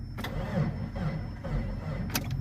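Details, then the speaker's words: MJ truck with a battery that won't take a charge despite repeated cable work: starter turns the engine slowly and unevenly with a laboring low whir, not enough to crank it. "Nope, not enough. Alright. I don't know what the hell I'm doing wrong. I cannot get it to take a charge."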